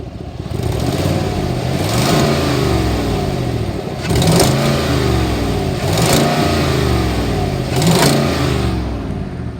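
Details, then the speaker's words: 2019 Chevy Tahoe PPV V8, 24,000 miles, collision-damaged, idling then revved three times: loud, raspy exhaust suggesting a big exhaust leak, not confirmed. "It sounds like it has an exhaust leak, a pretty big exhaust leak."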